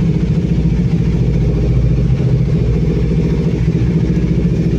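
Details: Kawasaki 400 cc single-cylinder motorcycle at idle: deep, even thumping with a steady beat and no knocks or rattles; the engine runs healthy.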